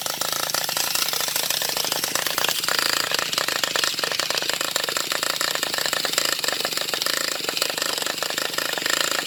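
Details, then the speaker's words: Traxxas Revo 3.3 nitro engine that made a clunk and cut off while driving; after two new glow plugs, fresh fuel and needle tweaks, primed and cranked: fast buzzy cranking without a single firing pop, owner suspects no compression. "Prime the engine, and then it just sounds like he wants to fire, but it sounds like there's no compression. I don't know, it just sounds weird."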